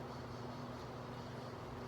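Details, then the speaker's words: Replacement exhaust fan (heksos) motor/dynamo, tested after install with nearby parts moved clear of the blades: even, steady whoosh with a low hum, no knocks or rattles; the fan no longer makes noise and runs normally. "ini udah bagus ya, kipasnya udah nggak ada bunyinya."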